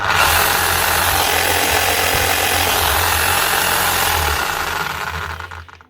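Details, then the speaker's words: 2008 Makita HM0860C chipping hammer, worn, weak hitting: motor winds with a coarse, gritty roar and an uneven beat about four per second, then spins down; runs rough, owner suspects worn bearings. "it's still running sounds very rough that's more a bare end sound so hopefully this one can be fixed up a quickly service and some new bearings"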